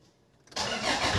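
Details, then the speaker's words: Toyota Innova after heavy preventive maintenance and a new timing belt: silence, then the engine catches almost instantly and settles into an even idle; normal start confirming the timing belt install is fine. "Ibig sabihin, okay yung timing belt na naikabit natin, walang problema, good lahat."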